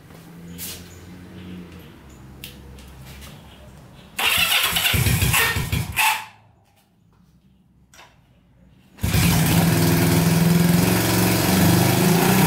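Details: Barn-find Honda CB350 (1970/1974 stated) that sat for years, not previously running; after more fuel added, twin catches after cranking bursts and settles into steady even beat, no misses: normal running on both cylinders.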